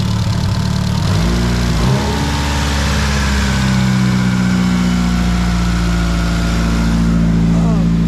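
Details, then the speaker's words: Mitsubishi Evo 8 idling after head gasket replacement: steady idle with a fast, loud light ticking, quieter than at first start; owner thinks the lifters are dry and will quiet down, cause not confirmed. "that sounds that sounds a lot better it was taking a lot louder before"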